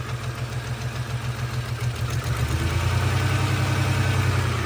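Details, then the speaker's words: 1992 SUV, partly returned to stock, at idle: uneven, lumpy idle dropping a beat about three times a second, with a puffing exhaust leak and no knocks or rattles; misfire of unknown cause (owner suspects cylinder, head, timing, plug or injector). "no knocks no rattles it just got that Miss in that nasty exhaust leak"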